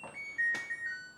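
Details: New LG dryer just installed, being switched off after a power-on test: a few clear electronic tones stepping downward, then quiet, the ordinary switch-off chime, nothing wrong.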